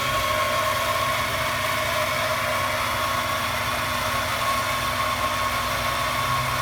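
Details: 1998 Honda Accord EX, 195,000 miles: steady high-pitched whine over even engine run, started when accelerating, much louder with hood open; accessory drive suspected, cause not pinned down.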